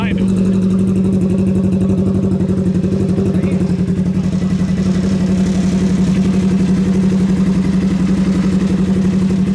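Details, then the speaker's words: Race car build, RS1, first start after the frame build and clutch rebuild, after loose fuel pump wires were fixed: a steady, even idle pulsing with no misfire or knock; the unbolted roof panel rattles a little. "Sounds good. Besides the roof rattling. It's not bolted down yet."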